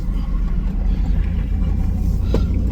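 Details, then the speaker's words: 2002 Chevy Silverado (lifted) after a front wheel hub replacement, test drive with listeners on each side: only steady low road rumble, no crunching or grinding rising with speed; the new hub sounds healthy and the noise is gone, though alignment is off. "you hear anything let me know okay sound good over there boy does it sound good sounds good to me got some major freaking alignment problems but good old lifted Chevy"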